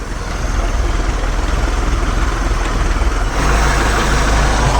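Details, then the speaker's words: 1976 MerCruiser 120hp in a Starcraft boat, cold start on full choke, choke opening as the exhaust-manifold heat riser warms: deep, steady throbbing idle with a slight lift, no misses or knocks; early stagger possibly from hydraulic lifters not yet pumped up. "the heat Riser that comes off the exhaust manifold here warms this spring up and makes that makes that open up she fired right up pretty decent"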